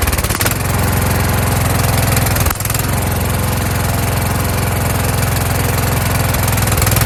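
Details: Kohler Courage engine on a tractor, after a carburetor swapped from a donor motor whose choke springs back by itself; started choked, winter, engine cover off. Steady low thump with a faint rise and fall, a mild hunting surge but otherwise running well.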